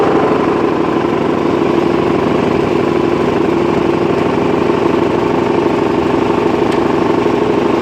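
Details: Mitsubishi 4D56 diesel at idle; steady idle with rapid, fairly even knock about three per second, located around cylinder 4; appeared overnight with no warning, fine when shut off; cause unknown; engine knock at idle.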